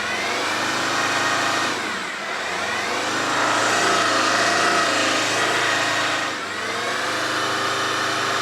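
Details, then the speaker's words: Alfa 159 field find, off the road about five to six years, started after cleaning parts with Mr Muscle: revs climb and flatten, won't pass 3000 rpm, cause unknown; smoking heavily, owner suspects burning off cleaner. "It will not go past 3,000 RPM. I don't know why."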